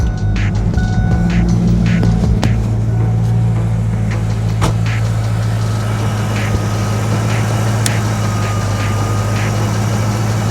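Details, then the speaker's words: Wrecked 1993 Mustang Cobra running after reconnecting fuel pump wires knocked loose in tank; deep steady idle, no misses, knocks or hunting, under music: normal idle. "[Music] purring like a kitten."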